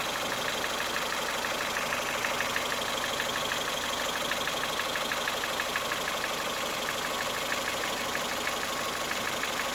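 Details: 2008 Ford Fiesta 1.4 petrol engine, revs held around 1000–1200 rpm, with a light regular tapping about three times a second at idle that smooths out with higher revs and returns as they drop. An internal knock.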